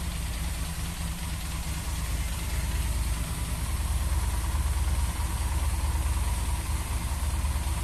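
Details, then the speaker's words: Yamaha XJ6 motorcycle idling steady but too high, above normal revs, never settling lower; hole found in small vacuum hose, vacuum leak causing high idle. "tá dando lenta ela fica aqui acima do Giro fica 40 muito alta"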